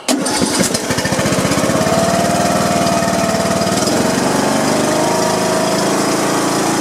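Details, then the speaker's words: John Deere riding mower's single-cylinder Briggs & Stratton engine after replacing broken push rods, adjusting valve clearance and cleaning oil off muffler: catches and settles into steady even beat without misses or clatter; normal running. "put it all adjusted the the valves and it looks like it's running pretty good"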